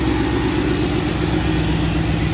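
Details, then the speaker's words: Ford Capri with swapped Mercedes M113 5.0 V8: steady, even idle with deep regular pulse, no top-end ticking after the loud noise lasting about 5 minutes at first start quieted; owner suspects hydraulic lifters; runs very smooth. "so maybe hydraulic lifters, all looking good. Running smooth, very smooth."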